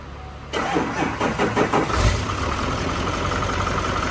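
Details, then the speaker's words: Wrecked L5P Duramax diesel with a history of dying, started on jump box: cranks briefly, fires with a few uneven chuffs, then settles into a steady, even idle with no knock; normal start and idle. "Sounds a lot better. Like, I don't understand that whole knock thing it did."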